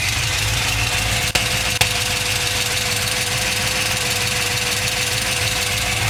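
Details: LS2 V8 at idle: a light, fast, slightly uneven tick, roughly two per second, over a steady idle; engine ticking of unknown origin.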